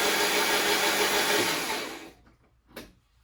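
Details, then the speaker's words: 1987 Porsche 924S after timing belt work, set at top dead center: fast, even, hollow cranking at about three turns a second with no firing; owner suspects valves destroyed from incorrect cam tower installation and may pull the head. Cranks but won't start. "well there's good news and there's bad news bad news is as you could hear still the hollow turning over sound sounds like I'm gonna have to pull the head"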